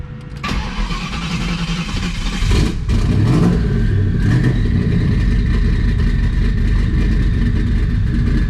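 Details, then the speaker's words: Twin-turbo Mustang Cobra (owner suspects burnt IAC driver in FAST computer): cranks, catches, briefly flares, then settles into a super smooth steady idle without stumble or hunting; smooth idle. "see it's like super super smooth and watch this this is the iac valve"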